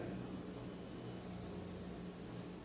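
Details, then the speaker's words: A NORD SK500E frequency inverter running the automatic stator resistance identification (parameter P220): a quiet, steady low hum with faint high electronic tones as it magnetizes the motor. Normal behavior. "perceberam que houve até um ruído né esse ruído aqui foi a magnetização do motor em função do inversor de frequência para poder fazer a leitura do estator"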